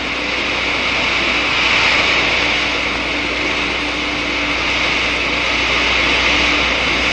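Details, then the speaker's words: Water flow through a venturi throat at about 20 inHg vacuum: steady loud crackling hiss like frying or gravel as steam bubbles form and collapse, cavitation. "the water changes to steam and the subsequent collapse of the bubbles which you can hear creates enormous stresses in the wall"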